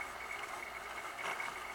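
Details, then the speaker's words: Pump test rig with tank supply valve closed, suspension around 26–28 inHg on the suction side, flow lost, one big vapor bubble in the flow meter: steady thin whine with a constant high tone and faint rushing; pump essentially running dry. "one big vapor bubble is now accumulated on in a flow meter and you can start hearing the noise the pumps essential running dry"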